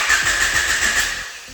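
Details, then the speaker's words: JDM Honda F23A VTEC engine freshly swapped into a budget CB7 Accord, no-start: cranks and only sputters weakly like it wants to start when sprayed with starting fluid, dying away; owner concludes fuel supply fault, plans to crack the fuel rail to check. "spray a little bit you'll hear it actually sputter like it wants to start and that gave me so much"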